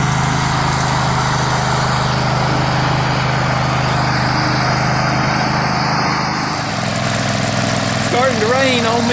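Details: Struck Magnatrac MT2000 with a newly fitted Predator 670 22 hp twin-cylinder engine, first start: steady, even V-twin rumble with a lumpy low beat and no knocks or rattles under the surrounding noise; engine runs healthy.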